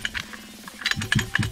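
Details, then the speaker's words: Stock Rovan 29cc engine in a Rovan 5B RC car that died after five minutes of running, turned over with the pull-starter: sharp, repeated metallic clicking; small end bearing failure. "I hear a click, click, click, click, click, click. There's a metal sounding sound."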